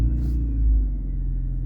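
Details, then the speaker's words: 8th-gen Honda Civic with intermittent no-crank no-start, fixed by unplugging a suspected bad temperature sensor (check engine light now on): starter catches quickly, engine settles into a steady, even low idle with no stumbling. "and I don't have the issue anymore the issue went away"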